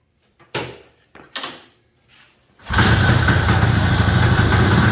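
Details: 1973 Columbia snowmobile two-stroke after carb clean and rebuild, cleaned tank, new fuel lines and the missing crankcase pulse line fitted: two pulls that don't catch, then fires and holds a fast, even beat without dying; running properly.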